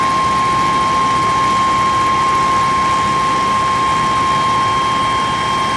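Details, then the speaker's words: 1995–2002 Chevy 1500 V6 van with cold no-start, during spark plug and wire replacement, at idle: steady hiss and thin whistle, sucking and crackling, from up top of the engine; vacuum leak. "Sounds like it's coming from up in this area. Yep, it is. So I'm gonna go down and fix this real quick. That's a vacuum leak."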